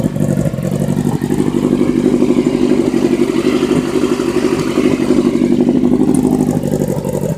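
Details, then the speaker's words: Suzuki Katana motorcycle, about 50,000–55,000 miles, with a shortened Scorpion aftermarket exhaust: steady, even four-cylinder idle, quick regular patter with no knocks or rattles; runs healthy. "bike has about 50 000 miles probably 55 000 still runs good oh yeah"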